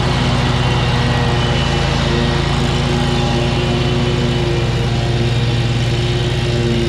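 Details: Kubota zero-turn mower, about seven years old, after a new switch was fitted: constant, even engine drone under mowing load with no misses, surging or grinding; running healthy.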